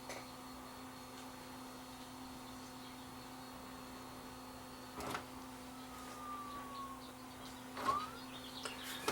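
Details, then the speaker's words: Sanyo VHR-H600 VCR that won't load a tape: steady drum motor hum with brief clunks as the front loader tries to move and stalls; timing or mode switch problem suspected. "the motors you hear the drum spinning up and I can see the front loader trying to move but the front loader is is back aways"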